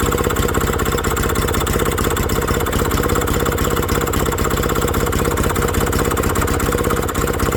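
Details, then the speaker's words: Villiers WX11 single-cylinder engine on first start after carb work: uneven chuffing about three beats a second with wandering speed, idle hunting needing carburettor adjustment; timing found 15 degrees after top dead centre. "Because Villiers may have rebuilt and that hunting don't like it. So I think we've got to adjust that on the top until that runs like this with that straight up."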